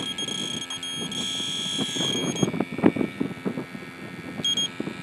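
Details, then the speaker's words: Electronic refrigerant sniffer checking a refurbished R12 AC compressor on an '88 Jeep XJ, outdoors in wind: a shrill, steady high tone for about two seconds, then brief chirps near the fitting; a leak is suspected, not confirmed, as the detector can false-alarm. "Okay. Yeah, something's leaking here. This isn't good."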